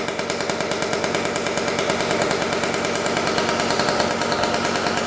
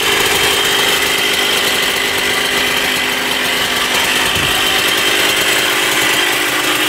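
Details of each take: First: 1994 Honda CR125 two-stroke after the coolant-leaking cylinder/head was properly repaired and premix added: first start, fast crisp steady crackle, running well. Lots of old oil in the crankcase is burning off. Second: 1994 Honda CR125 two-stroke dirt bike, with a temporary gasket-maker fix on the coolant-leaking cylinder/head: loud raspy high crackly buzz with a thin hollow edge. The owner thinks it sounds lean and needs richer jetting.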